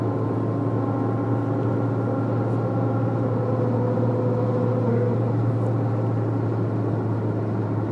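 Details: Citroen Saxo at certain highway speed and throttle: steady low droning hum from the front over road noise, caused by a worn left front drive shaft; solved by replacing the left drive shaft.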